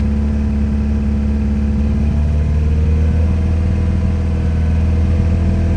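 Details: TDI diesel that idles fine but dumps fuel, backfires and smokes above about 1600–2600 rpm (lower when cold): at raised revs a lumpy, uneven low rumble instead of a clean beat; misfire at mid revs, cause unknown.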